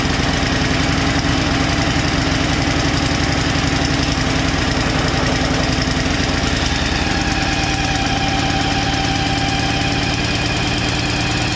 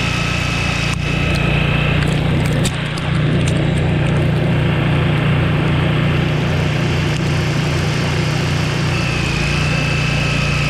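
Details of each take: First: Two-stage snowblower engine, unstarted for two years with old fuel in it, chugs lumpily on choke after starting, clears up, then stalls; topping up with fresh gas makes it fire right up. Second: Free Craftsman LT1000 lawn tractor and two-stage snowblower, unstarted 2 years with fuel in it, running on fresh gas while throwing icy slush: steady single-cylinder drone holding speed, no stumbling or hesitation, runs great.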